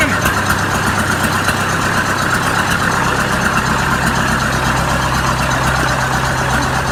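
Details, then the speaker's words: Oliver 550 tractor diesel after a new injector install, on a rigged-up radiator: an even, steady idle at about two beats per second, no stumble or miss, not smoking; running clean. "Look at that. Not missing. Not smoking. Hell yeah. Alright, so this thing runs."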